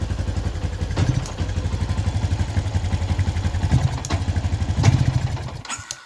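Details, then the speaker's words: 2011/2012 Yamaha Jupiter MX New 135 with severe stutter at initial throttle and sudden stalling: smooth with gentle throttle but pops unevenly, stumbles and nearly dies on sharp throttle snap; mechanic suspects original CDI. "J teman-teman barangkali menemukan kasus yang sama berebetnya di awal gas ya seperti ini. Ini aman kalau pelan-pelan gasnya aman teman-teman. Tapi kalau kita gas agak ee ekstrem."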